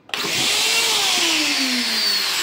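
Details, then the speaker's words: Karcher WD 3 vacuum cleaner, previously run without filter and clogged with trash, motor tested after cleaning and reassembly: spins up quickly to a smooth, steady high whine with no vibration, wobble or rattle; sound now normal. "तो आप ये देखें ये motor जो है य बड़ी जबरदस्त तरीके से चल रही है और वाइब्रेशन इसमें नहीं है और साउंड भी बिल्कुल जो है वह नॉर्मल हो गया है"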